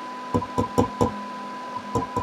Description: Just a short video to demonstrate how ceramic disc capacitors can be microphonic.